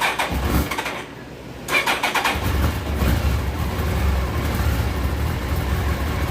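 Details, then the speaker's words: Suzuki Hayabusa motorcycle that would not start, after replacing blown fuel pump fuse: starter cranks briefly, engine catches and settles into steady, even idle; normal start and idle. "let's see if she bust off no Diddy running she's running she madej it warmed up but yeah ain't that something"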